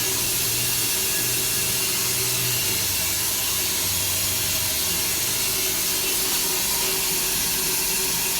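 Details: Multi-storey car park pipework: steady loud high-pitched hiss of rushing water that has run non-stop for about 24 hours, heard at 7–8 a.m.; the source in the pipes is unclear.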